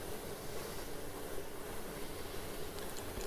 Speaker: next we're going to try to reset the overload as you can hear the overload reset the motor and the motor started